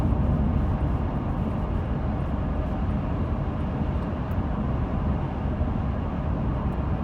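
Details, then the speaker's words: 2017 Toyota Sienna, 5,000 miles, under a month old, in-cabin at highway speed on a calm day with windows up: steady low roar like the AC running, excessive cabin wind and road noise, source not pinned down; quiet at a full stop. "You will hear the noise as if the AC is on, and it's really excessive noise."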